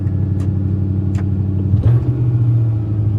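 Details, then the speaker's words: 1995 Ford F-150 with intermittent check engine light, after driving back, fresh 93 octane fuel; engine holds a fast, steady drone that never settles, idle too high. "Yeah, that is idle awful high."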